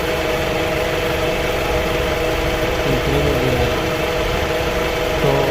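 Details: 2004/2005 Toyota Camry after no-crank, no-start repair: smooth, steady idle with an even low drone and no misses, knocks or rattles; normal idle.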